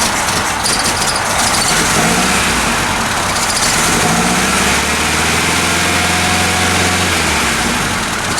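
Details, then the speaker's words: Ford Capri carburetor engine on a cold December day, after choke and idle-mixture adjustments, then idle speed raised and mixture tightened. It idles with an uneven, lumpy beat; rough idle, cause not pinned down. "I bought my idle up a little bit this thing's salty at idle I'm saddling a little better I bumped up the idle speed and tightened up the idle mixture a little bit"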